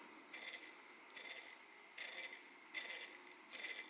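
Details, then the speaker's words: Rear 0804 motor on an iFlight TurboBee micro quad, run on 2S, flicked by hand: five short gritty high-pitched rasps; bearing totally shot after few flights, though the motors are still nearly new; front motors seem okay. "I don't know if you guys can hear that but yeah it's pretty loud the bearing is totally shot after not that many fights really"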